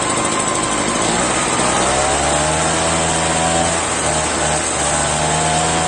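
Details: Echo PB-403T backpack leaf blower, found in the trash, two-stroke engine: high buzzing at fast, slightly wavering speed that dips now and then. Uneven running; owner says it needs a new carburetor and doubts it would restart.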